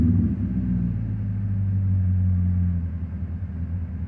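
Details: M60B40 V8 with chipped DME and 7k rev limiter: deep rumble lingers at raised revs and sinks only gradually toward idle after the throttle closes; a vacuum leak is suspected, not confirmed.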